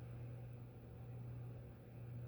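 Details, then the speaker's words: Quoizel "The Fandelier" ceiling fan with solid-state speed control on low: quiet, steady 60-cycle motor hum of one pitch under faint airflow hiss, not solid-state buzz; owner suspects it would hum even without the solid-state control. "And it's very much a 60-cycle hum, not the solid state buzz, which is interesting, which makes me think there's a possibility we would hear it even without the solid state."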